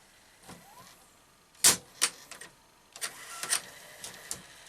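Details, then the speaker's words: Panasonic NV-SV121 S-VHS deck, found incorrectly reassembled, after mode-switch realignment and deck refit: quiet hum with irregular clicks and clunks as the loader keeps cycling and never finishes; suspected front-loading mechanism misalignment or broken part, not confirmed. "Still not happy, is it? Just I don't think this is a light problem, but just in case I think we've probably still got some alignment problem on the front loading mechanism, haven't we?"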